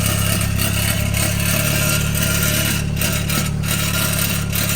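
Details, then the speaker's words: 2013 BMW 328i xDrive (F30) on a lift, engine running under throttle: steady drone with faint metallic buzzing, an exhaust rattle traced to a mount missing its fixing bow retaining clip. "we found it see that one doesn't have a clip"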